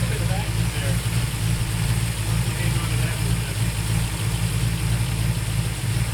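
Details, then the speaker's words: Ford V8 during vacuum advance and carburetor adjustment: the idle hunts and stumbles unevenly instead of holding steady. Owner suspects the accelerator pedal is holding the throttle open; idle mixture screws being adjusted. "you hear how unstable the motor sounds it's just oh man something was bugging me"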